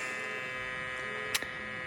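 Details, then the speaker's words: FogBuster-style fogless coolant mister on a Tormach CNC mill, air solenoid switched on with the manual coolant button: a steady, loud, high-pitched electrical buzz with one sharp click. The solenoid is humming because it is wired incorrectly. "um it did did make kind of a humming sound it's kind of noisy not sure not sure if that's normal it's a little bit loud"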